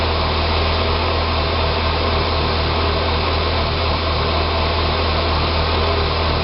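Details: 2006 Saab 9-3 2.0T after an engine rebuild: a steady low idle with an uneven, lumpy drone and no sharp knocks; it runs great with throttle. Rough idle, possibly vacuum-related, unconfirmed.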